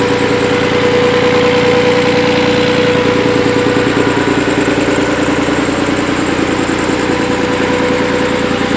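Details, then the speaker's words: Nissan 300ZX Z32 after engine swap, idling low with hesitation and a wandering idle, a thin steady whine over it; codes 34 and 35, owner suspects a misfitted plenum gasket and vacuum leak, not confirmed. "I'm going to try and get the whine on video."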